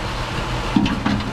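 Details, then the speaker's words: 300,000-mile truck engine at rough low idle with mass airflow sensor disconnected: two sharp intake backfire pops because the ECU doesn't know how much fuel to inject; intake boot had been repaired with tape. "You hear that backfiring business. It does not know how much fuel to feed the injectors."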